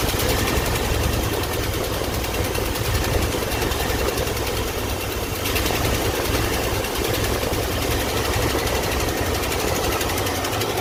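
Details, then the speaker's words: 1984 Ford F-150 V8 warmed up, ignition timing at about top dead center (1–2°) instead of the usual 10° BTDC, distributor seemingly bottomed out: a steady, slightly lumpy idle with an uneven low thrum and no knocks, running poorly from retarded timing. "we're like literally on top dead center one two degrees at this it still sucks normally i'm at 10 degrees top dead center"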